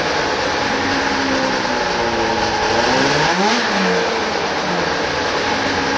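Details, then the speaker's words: 1995 Arctic Cat ZR 580 snowmobile two-stroke started up after carburetor troubleshooting: loud, buzzy drone holding fairly steady with a brief rev blip midway, no misfire or stumble; normal running. "now for the big moment the starting off of this beautiful 1995 articast xavier 580 and believe me it sounds like a beast"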